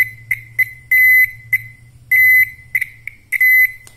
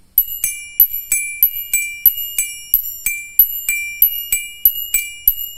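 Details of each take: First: Old Toyota Kijang turn-signal flasher modified to drive a buzzer. A 2 kHz tone sounds in short irregular bursts, dropping in and out from a poorly soldered connection. Intermittent buzzer tone. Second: Bell-type mechanical flasher for an old car's turn signals: an internal rocker relay strikes metal, giving steady bright bell-like pings about ninety-five a minute; normal bell-type flasher chime, can be muffled by taping the large opening.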